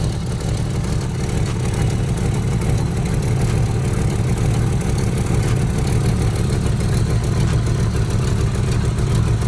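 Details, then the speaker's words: 1985 Mustang T-top V8, stock motor with 750 carb and new Performer intake, cold idle, heard from the rear of the car: deep rumbly idle with an uneven loping rhythm; the owner is unsure whether the cam is stock. Small exhaust leak noted. "Now we come to the back of the car where you can hear the cam."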